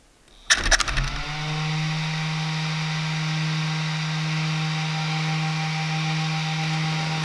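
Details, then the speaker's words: Traxxas X-Maxx after ESC fix, before buttoning up (transmitter on): short rattle at ESC power-up, then clean steady low tone; green light only, no fault lights, steering and motor working; ESC arming normally. "I don't know if you can see it, but I got the green light. None of my other lights are lit up. Steering works. Motor works."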